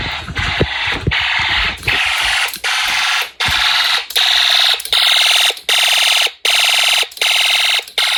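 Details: Homemade Snap Circuits fire alarm system test after activation with panel unsilenced: shrill horn in regular clean pulses, about 80 a minute. Fire alarm horn sounding.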